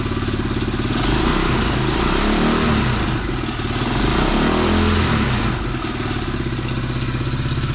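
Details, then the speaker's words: Tao Tao 110cc ATV quad with new carburetor and intake, choke put back down: small single burbles at steady even idle, no stumbles or misses, owner likes it better; normal idle. "Put the choke back down. Yeah, I like that a little bit better."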